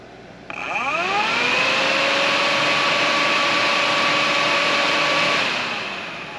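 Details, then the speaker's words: Cheap eBay aftermarket radiator fan for a 1998 Mitsubishi Eclipse GSX, bench-powered via dial: hums up to a steady, fairly quiet whir then winds down; weak motor, little torque, moves little air. "you can see there's no torque this thing doesn't try to spin or try to turn i don't know you can hear it's it's really really not powerful it doesn't move a very big amount of air"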